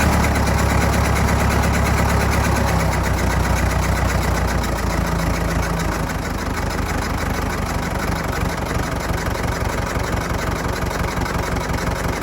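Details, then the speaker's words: Fordson Major diesel tractor, revived after sitting 20 years, still cold with no temperature gauge reading, oil pressure steady: slow, even chug about 170 beats a minute with no knock or miss; normal diesel idle. "not reading anything on the temperature gauge yet oil pressure's holding steady though"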